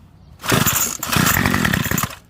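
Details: Curb-found 25cc Craftsman two-stroke trimmer, fuel return line refitted without its divider piece, running 50:1 mix. Catches after two pulls and holds a steady high rev, crisp and even with no sputter.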